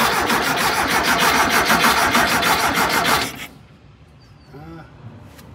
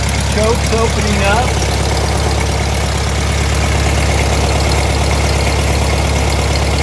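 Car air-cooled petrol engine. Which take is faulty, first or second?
first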